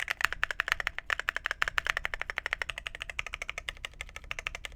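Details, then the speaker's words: Phoenix45 keyboard, red aluminum case over brass weight, 2U backspace: quick even run of crisp muted clacks with no rattle or ping, backspace sounds good. Normal typing sound. "backspace sounds good. Yeah, that sounds 10 times better."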